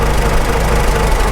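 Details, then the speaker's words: Farmall H first start after engine rebuild, idling in neutral: deep steady growl likely from mismatched constant mesh gears at front of transmission, goes away with clutch pedal pressed. "pretty sure that's our constant mesh gears at the front of the transmission clutch pedal Mak it go away"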